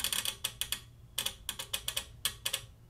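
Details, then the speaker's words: CSI1802X bench power supply as output voltage is turned up: sharp, irregular relay clicks in quick bursts over a faint hum, voltage jumping, clicking stops at higher voltage; noisy relay, shorted capacitor suspected. "see the relay starts clicking and the voltage is jumping everywhere"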